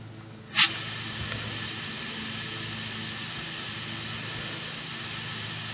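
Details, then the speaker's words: Evap smoke machine with oil-soaked tiki-torch wick, air turned up before battery and smoke are connected: a click then a steady, even airy hiss, not yet registering on the gauge; air flow sounds adequate by ear. "it's not registering on the gauge right now but i definitely can hear it doesn't sound too bad"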